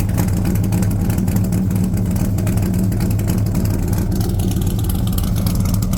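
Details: 1978 Corvette C3 V8 with newly fitted side pipes, after heads refitted following a year sitting: deep, loud, even burble through open pipes, steady, no misfires, ticks or knocks; healthy idle.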